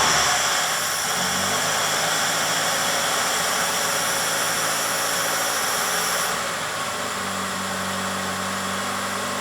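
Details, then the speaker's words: 1998 Mitsubishi Colt, over 120,000 miles, running just after throttle body cleaning: settles into a steady run with a slightly uneven pulse and a tone change midway; rough from cleaner and loosened carbon in the intake, expected to smooth out. "engine will run rough for a little while then you will hear that it's much smoother than on the beginning"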